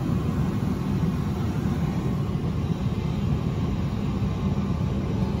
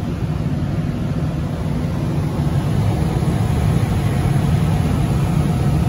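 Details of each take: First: Johnson Controls/Unitary Products residential gas furnace after the flame sensor was cleaned: steady low blower drone; hot-surface igniter glows and the burner lights about three seconds but the flame isn't sensed, retrying three times before lockout with an error code. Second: Johnson Controls/Unitary Products residential gas furnace after a no-heat call (flame lit ~3 s then dropped out, seven-flash ignition retry lockout), now serviced: smooth continuous low roar of burner and blower with no cut-outs or relight clicks; normal operation.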